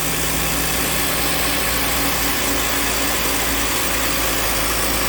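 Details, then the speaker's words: 2013 Cadillac SRX with no AC, after replacing the open-circuit compressor clutch coil and clutch, jumper removed: steady engine idle with an even hum and hiss, no clatter or squeal once the compressor engages; normal operation. "so I'm going to disconnect that jumper for now well there it is up and running"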